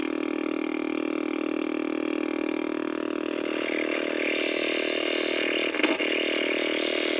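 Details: 1964 Sony 9-304U portable solid-state TV with raster but no video: a steady buzzing drone with high whistly overtones and rapid flutter, audio motorboating and squeal; the cause was an open video detector diode.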